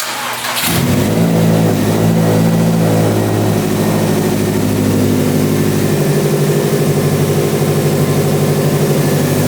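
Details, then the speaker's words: Built Subaru STI first start after about five months off the road, freshly rewired with fuel relay, ethanol sensor and hybrid speed density, not yet tuned: cranks briefly, catches at once, then holds a steady, even fast idle with no knocks; healthy. "So, the fact that it starts up and it runs healthy, it's a win in my book."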